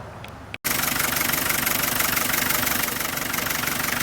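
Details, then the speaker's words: 1987 Land Rover Defender 110 12-passenger, recorded with the hood open: after a brief start the engine settles into a steady, even idle pulsing about four times a second, running like a sewing machine. It sounds healthy. "Just wanted to open the hood take a small video here of the motor running so you can hear it. It runs like a little sewing machine."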